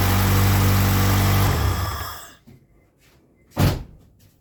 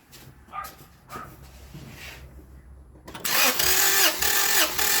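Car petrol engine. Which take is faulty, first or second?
first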